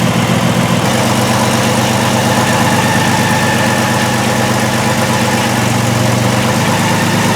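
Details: 2002 Volkswagen Jetta VR6 idling rough and stalling, with P0262/P0206 injector circuit faults after plugs, wires and coil were replaced: slightly uneven lumpy beat under the hum; misfire from fuel injector circuit faults, non-contributing cylinders.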